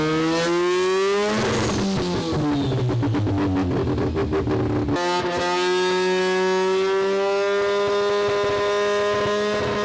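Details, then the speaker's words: Semi-peripheral-port two-rotor rotary Corvette on a Haltech ECU, first startup, revving hard and not yet at full operating temperature. Climbs, then stutters and crackles in rough, choppy pulses. Misfire from crossed ignition coils. "And so you can hear the car breaking up a little bit."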